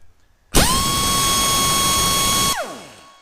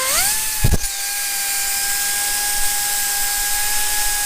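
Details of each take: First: Heavy air impact wrench on a 1/2-inch air line with the ball valve wide open, pressure dropping only 20 while running: loud, steady high-pitched hammering whir at even pitch for two seconds, then winds down; running at full supply. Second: Heavy air impact wrench on a 1/2-inch air line, run free with paper shoved into its exhaust: spins up to a steady whine that sounds slightly strained and flat; choked exhaust leaves it down on power.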